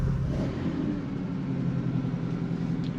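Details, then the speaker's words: Restored 1968 Pontiac Firebird Sprint OHC inline-six, triple Weber carbs tuned well, cold weather, idling about 1,000 rpm, likely electric choke or temp switch suspected; smooth even low rumble, no misses or knocks, normal cold idle. "Little Weber carbs are tuned up good. Idle at about 1,000 RPM. It's cold weather though, so there's likely a uh temp switch."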